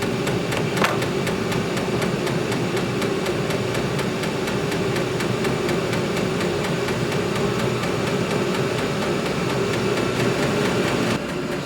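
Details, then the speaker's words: Vevor 8 kW diesel heater in an uninsulated barn, turned up above the fourth setting: steady fast dosing-pump ticking over the even roar of the burner fan; normal fuel pump ticking, heater running normally on high. "I'm going to go to some b-roll where I answered those questions so we don't have to listen to that thing pump while we're uh trying to discuss those [Music] issues"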